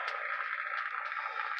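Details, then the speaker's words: Restored Yaesu FT-101EX on 80 metres midday, five-band vertical in high-noise area: constant hissy crackly static with no signal; heavy local noise floor before noise blanker mod. "okay so there's my normal noise level on 80. and this is the middle of the day"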